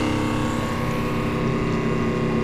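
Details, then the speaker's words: Flojet 40psi automatic booster pump feeding a carpet cleaning machine from a water tank, after pressure switch replacement; steady even hum, no surging, pumps water then shuts off as it should. "You can hear the machine, the pump, you can see it, the water."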